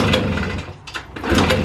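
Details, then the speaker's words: Long-stored Motorynka two-stroke moped: short sputtering bursts that rise and die without catching; will not start, owner finds fuel is not reaching the filter. "No ja pierdole jest konkretna Igora nie dochodzi paliwo do"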